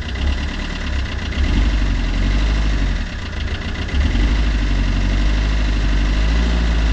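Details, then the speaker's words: Fiat Qubo 1.3 Multijet diesel idling after a new timing chain was fitted; a hard, uneven clatter sits over the rumble and the owner cannot explain it. Source unclear. Diesel clatter at idle. "là je sais pas je sais pas si on l'entend la caméra mais je trouve que il y a un claquement pourtant là la chaîne de distri est neuve je comprends pas"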